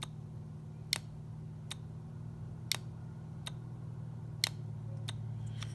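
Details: John Deere 310D reverser solenoid valve on the bench, coils energized: sharp, crisp single clicks about every second over a low hum, valve shifting cleanly; in the machine it sounded stronger in reverse than forward.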